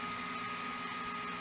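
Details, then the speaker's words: Xbox Series S with overheat shutdowns, console off, fan control pin disconnected so fan gets 12 volts: constant high-pitched whir at steady tone; fan running at full speed. "So if we remove this pan here and that's going to push the fan to go for a whole speed like a full speed. You hear the fan? That's a full speed."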